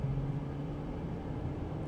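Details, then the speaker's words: Honda Pilot with about 360,000+ miles (approaching 500,000), major wear items already redone, under acceleration on the road: steady, even low drone with no knocking, smooth acceleration and proper shifting; healthy engine. "Not the fastest thing in the world, but the engine doesn't knock. Smooth acceleration, it shifts."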